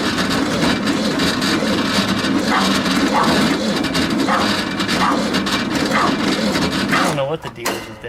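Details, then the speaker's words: VW Super Beetle air-cooled engine, carburetor flooded, cranked after reassembly: laboured, rasping, slow uneven crank that then stops, slower than before. The battery and its connections and charging are to be checked. Slow cranking. "that battery is cranking more slowly than it was before"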